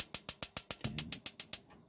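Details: 2017 Bailey Unicorn caravan gas oven being lit: a dozen crisp, even clicks at about eight per second, then quiet as the oven lights; the igniter is sparking normally.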